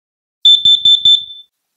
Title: Carbon Monoxide Alarms - Easy to Use, Can Save Your Life